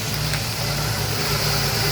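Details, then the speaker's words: GM 3.6 replacement engine after a crank-no-start problem, now running and burning off oil: steady even idle, smooth low hum with an airy hiss on top, no knocks or misses. Normal idle. "finally got her running"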